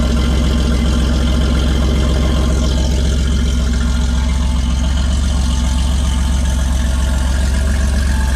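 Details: Cold start of a mostly stock 1981 Porsche 930 with an aftermarket exhaust: deep, even idle rumble with steady exhaust pulses and no misses, ticks or knocks; normal cold start idle.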